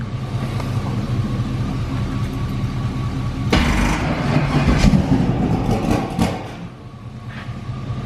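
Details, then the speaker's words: Turbo Firebird V8 with a COPO cam, first start with a weak battery that dropped to 8.5 V while cranking, jump-started from a truck: it cranks and catches roughly for a couple of seconds, then dies. Cause unclear; a starter wire was slightly loose. "i'm not sure why once it did crank over and fire off why it didn't stay running which is weird"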